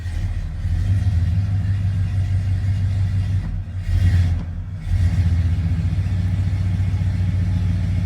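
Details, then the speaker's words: 1986 Ford F250 with 460 V8, first start after sitting about five days: deep even rumble holding steady idle, brief dip midway, no knocks or misses; owner says pretty good idle. "all levels are marking it's got a pretty good idol i'll let you guys"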